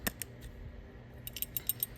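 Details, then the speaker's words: Holley 4000 four-barrel carburetor from a 1955 Ford Thunderbird, during rebuild reassembly: after the check ball and keeper are installed, the body is shaken and light, quick metallic clicks in short bursts show the check ball rattles freely, as it should. "Now, when you get the keeper in there, you want to make sure you can hear that check ball rattle. That is extremely important."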